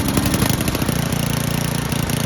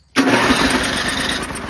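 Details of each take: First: Old Toro 824 Power Throw snow blower, 8 hp Tecumseh single-cylinder, bought not running, old gas drained and inline filter added, primed; engine catches and settles into a steady, even chug with no misses; normal running. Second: Old Toro 824 Power Throw snow blower, 8 hp Tecumseh engine, bought non-running, old gas drained and inline filter added, long stored: after priming, starts almost instantly on electric start and settles into a busy, even run.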